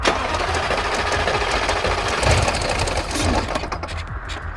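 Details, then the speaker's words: 140,000-mile modified Jaguar XFR supercharged V8: harsh, irregular metallic clatter over a rough, lumpy running V8 with no steady beat; no sensor codes, specialist found a loose, jumped timing chain causing major damage. "That chain is loose as hell. Wow. Oh, okay. Yeah. that change jumping. Yeah, you've done damage big time there."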